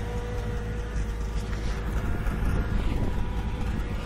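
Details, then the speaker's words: Freshly rebuilt high-compression engine with a newer carburetor: it cranks hard, then runs low and uneven with irregular sputter and stumbles, likely misfiring. Owner can't find the cause; timing was later found off and corrected. "And then you can hear it kind of sputters around a little. And I can't seem to figure out what does that."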